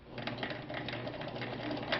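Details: Vintage Viking 6690 sewing machine doing a straight stitch at 2.5 mm length on Oxford cloth: quick, even needle ticks with a soft motor whir underneath, no knocks or drag; stitching smoothly and normally.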